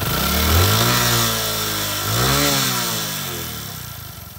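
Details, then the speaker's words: Prider 100 (CD100) motorcycle after timing chain replacement and bleeding air at the tensioner bolt: small revs rising and falling smoothly, then an even idle with no chain slap or rattle. "आप देखो बिल्कुल bike का engine smooth है, ठीक है।"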